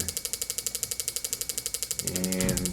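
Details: Power Probe demo board, injector driven by a 5 V pulse from a signal generator: crisp, even ticking about twelve clicks a second with steady spacing; injector pulsing normally.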